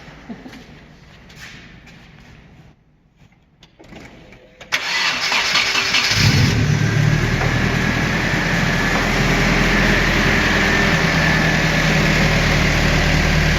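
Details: Turbo Nissan 240sx with prototype intake built from the stock intake and MAF relocated away from turbo: short crank, then catches cleanly and settles into a smooth, even idle with no stumbling; normal start and idle.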